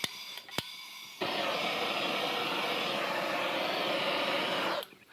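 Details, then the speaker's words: Coleman Air-O-Gas cabin stove being relit after generator service, flooded: sudden loud hissing roar holds several seconds then dies away as raw fuel puddled in the burner burns off. "it's all right we'll let all this stuff kind of burn out because there's uh there's fuel that's just puddled down in there so we'll just kind of let that burn down a little bit"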